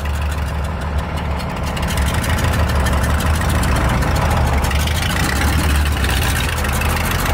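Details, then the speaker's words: 1978 Dodge W100 Power Wagon V8 before long tube header install: lumpy idle, loud chuffing exhaust with sharp ticking; old exhaust leaking, manifolds later found missing gaskets. "Hear that old exhaust is just leaking nasty, so we're gonna get these long tubes on, have it not only sounding good but looking good too."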